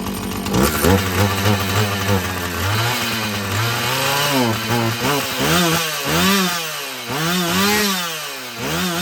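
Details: Husqvarna 445 chainsaw after cleaning and tune-up: crisp throttle blips rev cleanly to a high scream and drop back without bogging; it runs well, though the carburetor may need more adjusting as its diaphragm loosens.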